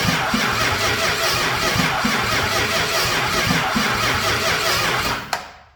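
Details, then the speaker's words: Old rebuilt starter cranking a brand-new, tight big block with all plugs in and high compression: even, steady cranking at about four pulses a second, a bit slow but regular, then stops; adequate, no heat at the starter. "Well, I'm going to call that a yes. She's not real quick, but you know what? I'm sure that's enough to start it."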